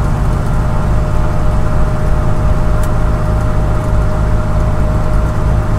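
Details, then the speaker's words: Moser 12-bolt rear end after replacing noisy US Gear 3.91 ring and pinion, highway at about 100 km/h (60 mph): steady mid-pitched differential whine over tyre and road roar, still present but much quieter than before. "Still there. It is a lot quieter, so I guess that's a good thing."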